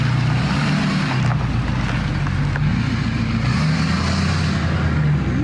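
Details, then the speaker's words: Rebuilt wrecked truck using 2020 Dodge Ram 3500 parts, pulling away hard, possibly in drive mode 3: deep, steady engine roar building evenly under acceleration with no knocking or misfire, sounding like a jet; healthy. "Dang, that thing sounds so good, dude. Sounds like a jet, just like we wanted it to."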